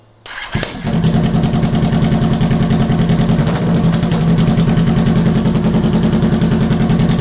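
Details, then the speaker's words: 2006 Kawasaki Ninja ZX10R, first start after modifications and a fuel system check, running without mufflers: starter whirr, then it catches and settles into a loud, steady, even idle, running cleanly. "oh w damn this thing is freaking loud sounds okay"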